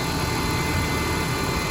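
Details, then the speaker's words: BMW E46 on cold start: even engine note with a steady whirring air-pump hum as the secondary air pump runs normally, after replacing the secondary air valve for codes P0492 and P0491 (insufficient secondary air flow). "again usually this light will come on on a cold start because a secondary secondary air pump only works"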